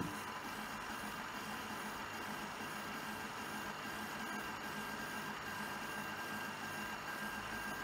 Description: Pour certaines impressions mon imprimante Prusa SL1S fait un bruit anormal.